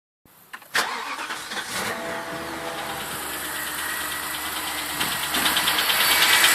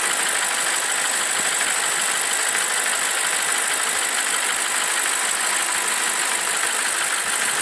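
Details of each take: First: BMW 745i E65 V8 at 2°C outside, fresh cold start: fast, fairly even top-end clattering/knocking over the idle, building slightly, which disappears after 1 min 20 s; owner suspects an old chain tensioner, unconfirmed. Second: BMW 745i E65 V8 after a 2°C cold start whose clatter disappears after 1 min 20 s: warm, even, settled idle with the cold-start clatter gone and no knock standing out.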